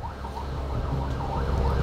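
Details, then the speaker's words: Toyota Revo, engine running: a wavering, siren-like whine from a worn AC compressor pulley bearing, with dust and rust found; the compressor was removed to check the bearing shaft and replaced with a new one; a burning smell was also reported. "so pcheck ni sa atin maingay sa bearing sa pulley ng compressor"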